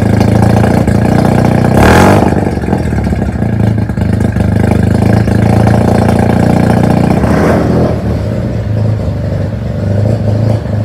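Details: Mazda FC3S rotary being rebuilt, idling after the exhaust muffler was fitted (previously run without one): busy, even buzzy brap with a couple of small blips and a muted, fuller exhaust note. Normal idle.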